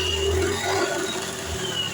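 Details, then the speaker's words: Scooter (automatic, CVT) idling smoothly with a steady even hum after repair: earlier rattling suspected from the clutch housing bearing, clutch lining and CVT housing opened and reassembled; noise now gone, normal idle. "Nah, jadi di sini suaranya sudah halus ya teman-teman."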